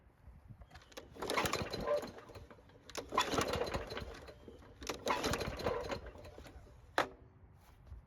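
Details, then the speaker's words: Free mower that won't start, with old gasoline left in the tank: three pull-cord attempts, each a quick whirring spin that dies away without catching. The fault is fuel related; it ran when fuel was added directly to the carb. "And as you might have guessed, this engine refuses to start. Now it could be something fuel related causing this problem, and to find out, we'll just add fuel to the carb instead."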